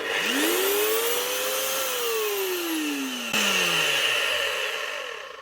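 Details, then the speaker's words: Galeski Polifox wet grinder, 1500 W motor, 2023, after bearing repair: high motor whine rising on spin-up and falling on coast-down with gritty rough edge; owner suspects debris in grease damaged gears; rough gear noise. "the head, the gears are sounding a little bit rough. They're not exactly right."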